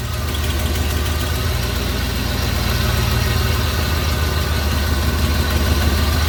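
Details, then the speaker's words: Big-block EFI 460 Ford Lightning at idle after installing an Aeromotive adjustable fuel pressure regulator, unadjusted, about 35 psi key-on versus 30 stock: deep steady V8 rumble, no misses or knocks; runs slightly smoother, improved. "So I can hear just a slight difference in the way the engine's running. It definitely sounds like it's made an improvement."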